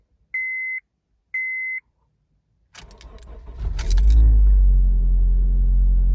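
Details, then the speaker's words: 2006-2011 Honda Civic started from inside with a Noco Boost Plus jump starter hooked to the battery: two short beeps, a quick crank, and it catches cleanly into a steady, even idle; normal start. "So I just started the car with no problem with the jump starter hooked up to the battery."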